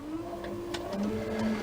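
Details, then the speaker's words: Warco WM12 mill power feed on its original speed control, 24 V motor, after belt drive conversion; clean quiet hum whose pitch steps down then rises as speed changes, faster in one direction, no rubbing or knocking; smooth, healthy. "And I have it going a bit faster the other way, but even that's nice and quiet."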